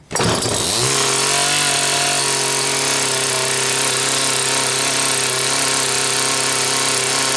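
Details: Homelite Waterbug P100 water pump, primed with water: catches instantly and settles into steady high-pitched buzz at governor-limited full throttle, even and unwavering; healthy two-stroke.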